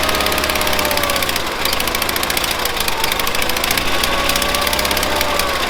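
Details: 1970s Bolens QT16 garden tractor, long-sitting, gravity-fed, about half choked: uneven stumbling engine with irregular knocks, clatter and hunting speed; rough running from dirty carburetor that needs cleaning.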